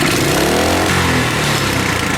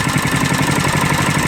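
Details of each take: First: Coleman KT196 go-kart small engine with governor removed, idle raised: revs climb quickly to a high strained scream and keep winding up; ungoverned over-revving. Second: Coleman KT196 go-kart single-cylinder engine, neglected for years, on its first start after repairs with the governor removed, idling with a steady, even, quick putter and no knocks or misses.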